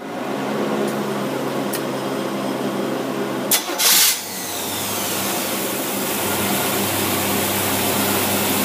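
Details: Predator carburetor with an idle circuit, for racing or street use, tested on a running engine: after a short blip it settles into a smooth, steady idle without hunting or stalling, running properly.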